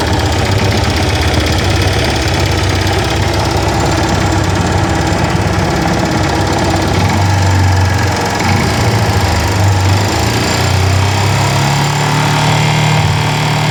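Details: Yamaha FZ16 Fazer motorcycle at steady revs: loud low engine drone with an uneven knocking rattle underneath; owner reports unusual engine noise, cause unknown.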